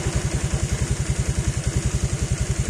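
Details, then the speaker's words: Honda Vario 125 LED New that had been stalling, wouldn't start and showed a constant MIL, heard after its CKP sensor was replaced: steady, even idle with a quick regular beat and no misses, knocks or hunting. Normal idle. "Oke, [musik] si motor udah nyala lagi ya, sudah normal kembali seperti semula."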